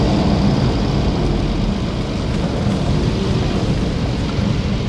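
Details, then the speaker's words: 2011 Acura MDX test drive after replacing a torn, grease-leaking front driver's side CV axle that clicked on sharp left turns: steady low road rumble through a sharp left turn and full loop with no clicking; repair fixed it. "the noise is gone. Oh, that's perfect. That was a nice sharp left turn. We just did a full loop there and no noise at all."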